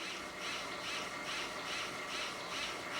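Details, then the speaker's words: American Flyer Berkshire locomotive smoke unit after repair, running on original-formula smoke fluid: soft hissing puffs about twice a second over steady fan whir; smoking well and chuffing properly, bench test before reinstalling. "Smoking pretty good and now we'll see if she'll start chuffing. There she goes."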